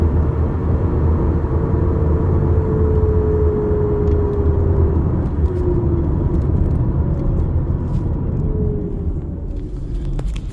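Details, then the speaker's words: 2018 Toyota RAV4 on a pre-purchase test drive, phone placed on the rear floor: a faint mid-pitched hum over the road rumble, drifting lower as the car slows, from the rear differential; the inspector suspects it will need servicing or replacement. "Okay, so I'm hearing sounds coming from the rear differential. It's not really loud, but it's there, and I suspect that'll be needing servicing or replaced in the future."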